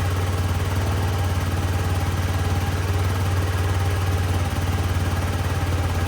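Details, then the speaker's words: Yamaha C3 50cc liquid-cooled four-stroke fuel-injected scooter started after fuel pump replacement and a cleaned plug and injector: smooth, even low putter at about three beats a second, no misses or clatter, a clean healthy idle. "So now I guess the moment of truth would be if, when we go and start it now, if it'll pop off. Yep, that's fuel injection Yamaha right there."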